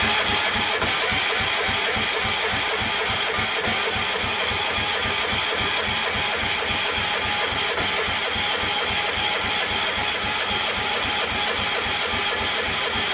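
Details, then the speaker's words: Cub Cadet 1250 engine, reportedly unrun for seven years, fed from a borrowed fuel tank: it cranks steadily with regular pulses but never catches; cranking no-start because the spark plug wire was unhooked, and the plug was later found fuel-saturated. "ohow idiot I didn't have the spark blow hooked up great now it's probably flooded caught me off guard"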